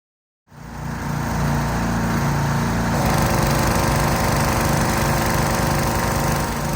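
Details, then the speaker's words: Pressure washer small engine after treatment with a mechanic-in-a-bottle fuel additive, previously weak and hesitating under load: catches and settles into a steady, even putt around three and a half beats a second, no surging; solid normal running. "And of course, I know you couldn't hear it all, but um it was very solid running."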